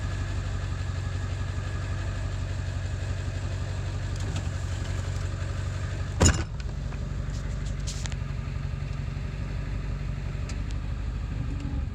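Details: 7.3 diesel at idle after ICP sensor replacement, still not running great: a low, uneven idle with a lumpy, unsteady beat and one sharp clunk midway; rough idle, cause not obvious.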